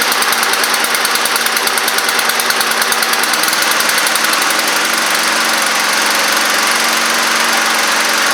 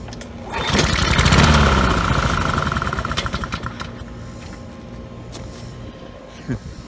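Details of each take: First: Neglected Honda Harmony II push mower after tightening a leaking carburetor bowl: small single-cylinder runs at a fast, even beat, holding steady speed with no missing or surging; running properly. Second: Neglected Honda Harmony II push mower, air filter missing, sprayed with contact cleaner: catches with loud even chug for about two seconds, then fades and stalls; likely fuel delivery problem.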